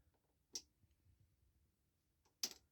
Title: Piezo Buzzer sound on indication